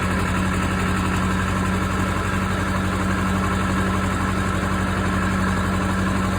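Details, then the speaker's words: Case 450B dozer with 207 diesel, first start after the rebuilt injection pump is installed (removed for fuel mixing into the oil): even, steady diesel clatter with no misses, but idling a bit high. Pump needs idle adjustment. "all right guys so that was the 450b injection pump uh sounds like it idles a little bit high so I'm probably going to have to uh work on that a little bit do a little bit of adjustment"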